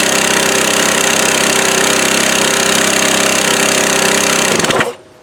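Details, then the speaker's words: Free 1998 Craftsman 22-inch mulcher mower, 6.25 hp, hammers along with a rough, crackling, uneven beat for several seconds, then cuts out. The carburetor also won't stay on. "The other motor is definitely good, but all the popping and cracking you hear going on is where somebody twisted off the exhaust bolt, the upper one, and twisted it off inside there."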